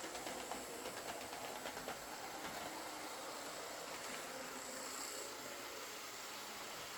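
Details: Old Lima Class 50 model locomotive, reported as scraping, after a full service, filed gears and a replaced missing buffer: steady light motor whir with rhythmic wheel clicks and no scraping; runs normally.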